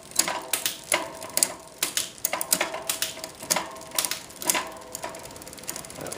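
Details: SRAM rear derailleur after fine cable-tension adjustment in quarter turns. Crisp, evenly spaced ratchet clicks about twice a second, no grinding or chain skipping, as gears drop cleanly down the cassette.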